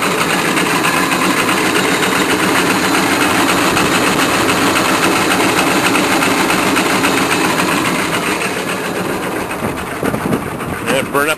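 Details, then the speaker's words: GM K3500 pickup, sat six months, cold started on starting fluid: the engine runs with a fast, high whirring chatter as the starter stays engaged; owner suspects the solenoid has melted internally. "I think the solenoid has melted internally"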